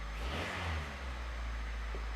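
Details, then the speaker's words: 1989 Honda Prelude Si after new timing belt, coolant lines and clutch, first start: smooth, even rev climbing and settling cleanly with deep steady exhaust note, no knocks; normal. "let's get into the car I'm going to start it up and we're going to see if we can change gears correctly oh that sounds good oh"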